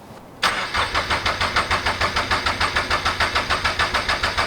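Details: Turbo Toyota GR86 after fitting 1050cc injectors and a DeatschWerks 300c pump, first start attempt: steady starter cranking about three beats a second, never catching.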